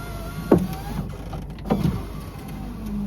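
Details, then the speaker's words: BMW power window: the motor groans in strained bursts with squeaky rubbing as the glass creeps all the way up, far slower than the other window; it is labouring, with binding suspected, and later stops working entirely. "oh it's still struggling actually but it did go up all the way this time oh yeah it's really struggling"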